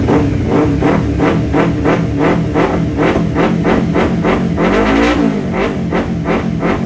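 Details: Kawasaki Ninja 250 carbureted twin after carburetor repair and butterfly-valve synchronization, the final result: it revs evenly and holds a steady pulsing note, then blips and settles without stumbling. The carburetors sound balanced and revving is normal.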